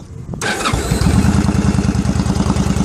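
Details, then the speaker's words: Cold start of a 2001 Yamaha V-Star 1100 Classic Silverado, just over 6,000 miles, recently back from shop after starter clutch work; loping beat with uneven pops, choke behavior unclear; owner suspects running too lean, popping absent the day before. "Maybe she's running too lean. That's why she's popping. She was running good yesterday. She wasn't popping."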